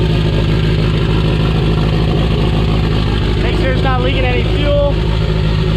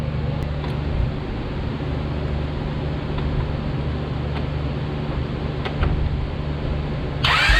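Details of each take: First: Honda Prelude first start after distributor gear flipped and crank pulley gear fitted: engine catches and holds a steady even low idle, no knocks or misses; shut off quickly since no oil pressure seen. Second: Honda Prelude cranked after refuelling and priming, with a fuel pump fitted about a year earlier: the starter cranks steadily for several seconds with no firing. Crank, no start, due to no fuel pressure.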